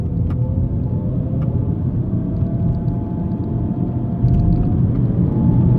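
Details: 2007 BMW E90 320i: faint tone climbing with road speed over steady road rumble while accelerating; owner unsure whether rear differential or gearbox, unconfirmed.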